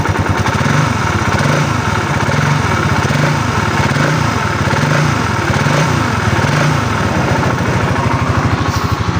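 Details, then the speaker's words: Raider 150 Fi motorcycle idling, not revved, one week after an overhaul elsewhere with parts not replaced and wrong timing: loud busy mechanical clatter, worn crankshaft main bearings; louder when revved. "Ayan yung tunog ng makina. Ayan naririnig niyo naman maingay. Hindi ko pa nire-ref. Pag ni-rep ko pa mas maingay."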